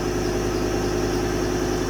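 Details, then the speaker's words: 2018 Ford Transit 250 with 3.2 Duratorq diesel that shuts itself off: low, uneven throbbing idle with shake that sounds like it may stall. A fuel-system problem is suspected. "but then you let it sit here and idle and Boop she dies and then look at the fuel pressure dropping [Music] we definitely have a fuel related issue on this truck"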